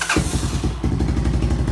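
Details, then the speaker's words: 1986 Honda TRX200SX quad after brake work: starter cranks, the single fires right up and settles into a steady, even low thumping idle with no misfire; healthy start. "the brakes do work though and the quad runs pretty good"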